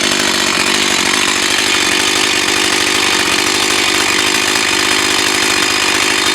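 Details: Echo CS 4500 chainsaw, bought used with unknown history, after carb rebuild, cutting wood behind a garage in wind. Loud, steady high buzz at full throttle with no surging or stumbling through the cut; runs clean and strong.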